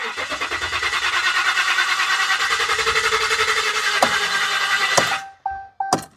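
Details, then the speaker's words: 2015 Ram 1500 EcoDiesel, crank no start, no codes, high-pressure fuel pump already replaced: starter cranks evenly about seven pulses a second, never fires; rail pressure 4400–4500 PSI; sounds like no air, suspects closed throttle blade. "sounds like it's getting no air 4400 PSI 4500 PSI should be adequate"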